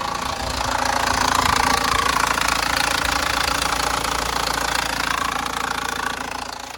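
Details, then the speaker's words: 2017 Chevrolet Cruze LT turbo diesel, restarted after going into reduced power on first test drive: rough, uneven idle with steady knock about three per second, which went away when revved; clogged DPF caused limp mode, fixed by forced parked regeneration. "Thing sounds like [ __ ] now. Bryce got here and we started it up to show him the engine knocking."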